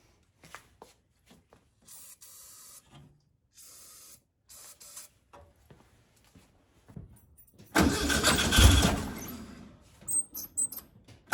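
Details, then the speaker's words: 1956 VW Bug flat-four, driver's-side replacement 40mm carb disconnected and not supplying fuel, battery possibly weak: after long cranking and squeaky linkage, engine catches with a lumpy, uneven, stumbling beat, running on two cylinders from the passenger-side carb only. "well she's running she ain't running good and i don't really recommend doing this but just for example i still have nothing going on on any of the adjustment screws over here on the driver's side carburetor"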